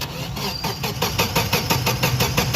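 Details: Car that cranks but won't start (no spark, no injector pulse per diagnosis): starter turns the engine in a steady whirring chug, about seven pulses a second, but it never fires; the battery is too weak.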